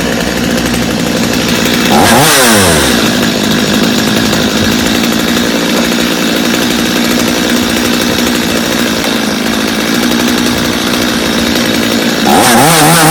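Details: Customer's Stihl chainsaw after reassembly, original Bosch spark plug, started from full choke; steady even idle, then two clean revs dropping back to stable idle; idle a little high but otherwise healthy, little carb adjustment needed.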